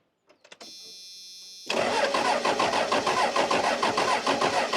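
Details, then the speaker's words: 1994 Dodge Cummins diesel truck, off the road for years, cranked after hours of trying to bleed fuel: starter churns steadily about three turns a second with no firing; crank no-start, fuel shutoff solenoid not pulling despite being plugged in. "Yeah, I guess we may not have power to the plug here. Or, oh, let's see. Yeah, it's plugged in. Yeah, the fuel shutoff solenoid's not working."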